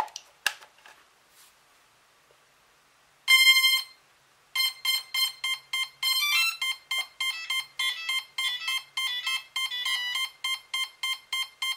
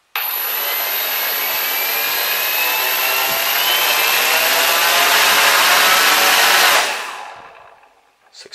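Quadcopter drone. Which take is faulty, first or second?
first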